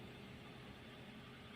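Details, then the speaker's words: 2012 Toyota Avanza with RPM hunting 1000–3000 when AC is on, restarted; quiet, even idle, no knocks or hunting, starting about 1400 rpm and easing down toward 1000, engine smooth and healthy. "Itu 1 lebih ya, masih 1,2. Nanti dia akan turun dengan sendirinya di angka 1000. Nah, kita tunggu dulu. Dan untuk mesinnya oke, halus."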